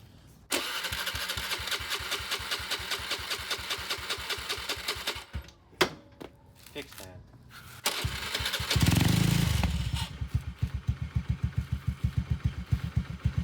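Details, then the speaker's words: 2011 Honda Scoopy started after an oil change, first cranked over without starting as a precaution: cranks, catches quickly and settles into an even putter near four beats a second, no leaks, then picks up cleanly on throttle, healthy running. "Is that idle? No leaks. No leaks so far. I'll give it a bit of throttle."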